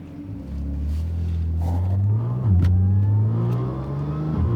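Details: Audi S4 3.0 supercharged with test pipes, before exhaust fix: deep steady drone under low-speed driving with a raspy edge; resonated Magnaflow X-pipe later fitted to cure the rasp.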